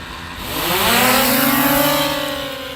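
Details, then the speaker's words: DJI Mavic Air 2 drone in flight: motors swell into a rising then falling buzz with an uneven, gritty edge; one motor sounding rough. "I can hear that motor. Shit is sounding rough. Oh well, might be getting a new drone next year."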